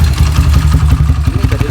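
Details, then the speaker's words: Motorcycle single after swapping S1 camshaft for EDO E2: revving with rough, uneven low beat and faint ticking on top, deeper exhaust, more consistent power; noisy top end, cause unknown, S1 ran smoother. "Suaranya sangat kasar dengan E2, Bro. Anda pasti bisa mendengarnya. Lihat, suaranya benar-benar kasar."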